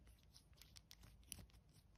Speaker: metal on metal scraping against each other there's even a slight squeak there